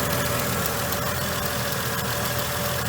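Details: Mercedes W463 G500 with a lumpy rough idle and P0444 purge valve code, no check engine light: a fast, light ticking over a steady idle as the evap purge solenoid clicks, pulsing at idle; owner suspects purge valve or its signal.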